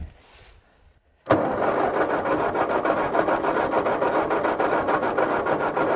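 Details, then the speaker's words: Old tractor with new coil, distributor and plugs, choke pulled out, half throttle: steady starter churning about three and a half strokes per second with no firing; cranks but won't start, owner suspects no spark. "that should that should be firing right off there shouldn't it we put a new coil new distributor all that's new on here plugs are new so I know it's but it sounds like it's not getting sparked don't it"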